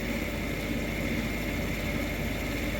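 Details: Payne furnace draft inducer after replacing the motor, which had made a chopsaw-like noise at every start; with a new gasket and the wires reconnected it runs as a smooth, steady hum without chopping or rattle, and the furnace then lights.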